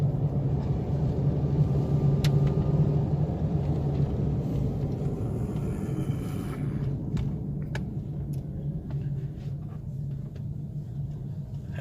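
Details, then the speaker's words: Chevrolet Optra road test after ignition coil replacement: deep, steady engine note building smoothly under acceleration, good pickup, no jerks or stumbles, all gears fine. "अब गाड़ी सेट हुई है पूरी, बढ़िया पिकअप, थोड़ा सा भी जर्क"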